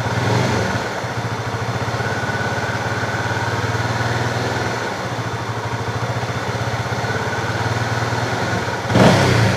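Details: Fuel-injected Honda CB motorcycle with a hesitation (brebet) problem. The diagnosis found the TPS reading not rising with throttle, so the ECU misread. The engine runs evenly with a smooth, clean rev rise and no stumble or misfire: normal throttle response.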